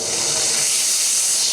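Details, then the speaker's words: Bates Corliss steam engine with the valve full open: steady, hard, high-pitched hiss of steam escaping from behind the cover, no rhythm; steam leak. "and this is what we had leaking full open"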